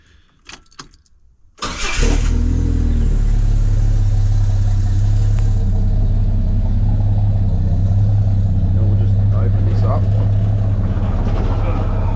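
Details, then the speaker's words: 1981 ZJ Ford Fairlane Sportsman after an exhaust upgrade with PH4470 extractors: quick crank and catch, then a deep steady idle burble with no misses or ticks; sounds a lot better; normal start and idle. "We'll get some more sound videos. I've got the dog barking now at the moment, but she does sound a lot better."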